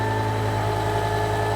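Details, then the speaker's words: BMW E60 M5 S85 V10, first run after new rod bearings, no coolant, secondary air pump hose disconnected: smooth, even idle hum, no knocking or horrific sounds; normal idle. "Okay. Everything actually sounds really good. I can't hear that secondary air pump screaming because it's not hooked up, or the hose isn't hooked up to anything."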